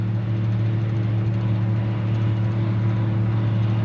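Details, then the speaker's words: Barn-find Gleaner G combine climbing the biggest hill under load on its variable-speed drive: a deep, steady, smooth drone with no whine, clunk or grind. The transmission sounds fine. "Transmission sounds fine under load going uphill. That's good."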